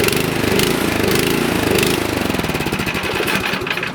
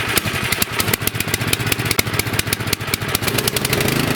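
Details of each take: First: Nearly new, lightly used 24-inch Troy-Bilt snowblower that sat about 9 months with gas, after carburetor cleaning and bowl O-ring reinstall: small engine idles unevenly, speeding up and slackening, still lean idle surging, runs slightly better. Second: Nearly new 24-inch Troy-Bilt snowblower, which ran only on choke and surged after sitting 9 months with gas, after fix and idle-speed adjustment: electric-start cranking, then steady even idle without hunting or dying; idle set correctly.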